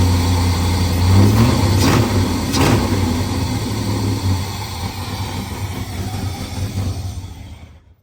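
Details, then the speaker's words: Car after fixing a bad ground that caused a no-start: petrol engine idles loud and raspy with a rough low puffing rhythm from an exhaust leak to be welded. "Tomorrow we're just gonna go and when we get down here, we're just gonna weld this back up, because this sounds like shit because it has an exhaust leak obviously, but we're gonna weld this back up and it should be okay."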